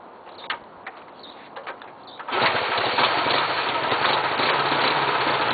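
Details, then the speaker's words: 1966 Honda Dream 305 CA77 twin starts after a few kicks and settles into a steady, even idle with no knocks or misses; oil just changed, no smoke, runs strong. "I don't know if you can hear it but there's uh no weird knocks the engine doesn't sound weird the oil's just been changed in it"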